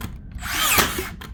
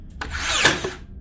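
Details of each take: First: Makita DBN600 cordless finish nailer that blank-fired and didn't fully sink nails, after greasing: whirring wind-ups with a sharp strike about every 1.2 seconds, driver retracting to load each nail; consistent firing, massive improvement. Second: Makita DBN600 cordless second-fix finishing nailer: a short motor whir builds to one sharp snap, with no thump of a nail being driven. It is blank firing, and the driver is possibly not returning far enough.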